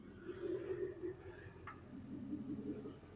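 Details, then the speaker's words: Jeep WJ Grand Cherokee 4.7 V8 after fitting a shorter serpentine belt to quiet a worn AC compressor pulley bearing: it is charging, water temperature is fine and the fan turns. Steady, even idle with no belt squeal. Normal idle. "And the fan is turning. So everything's working as it should. We just haven't got the horrific squealing."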